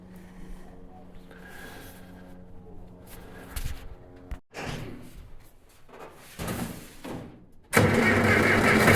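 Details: Freshly rebuilt John Deere 400 engine after head bolt retorque and valve lash adjustment, new oil pressure sender plug fitted: cranks unevenly for a few seconds, then catches and runs steady and loud; oil pressure good, normal start and idle.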